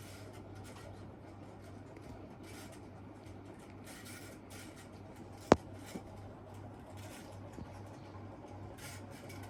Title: Casablanca Delta ceiling fan 2/2 in reverse and bad bearings